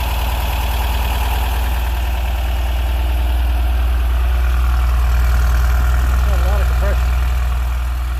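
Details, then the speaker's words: Porsche 914 on a hot late-July day, started after a wire and hose were relocated. Steady, even low rumble at a brisk idle with no stumble; idling a little fast, and the timing is to be checked. "It should start. Yep. Idling a little fast. I'm going to check my timing."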